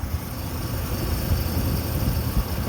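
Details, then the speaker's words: 2003 Dodge Ram V10 8-liter idling with hood closed after belt tensioner pulley replacement: steady low even rumble, no chirp or squeal, just the engine running; earlier chirp fixed. "So we were getting chirping, I can't even hear it with the hood closed down. You barely hear a noise there. So again, it's just the engine's running."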